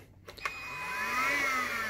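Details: ANKO cordless stick vacuum restarted after its battery went from full to dead in under five minutes: the motor clicks, whirs up to a thin low whine that never reaches full pitch, then sags. The flat battery can't drive it.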